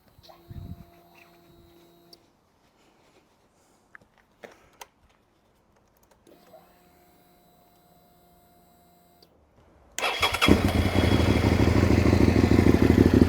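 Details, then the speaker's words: 2003 Suzuki SV650 after fitting a new fuel pump and cleaning the injectors (it had been cutting out): engine fires at once and settles into a steady, even idle without stumbling, sounding better; normal idle. "How does that sound? That sounds a bit better."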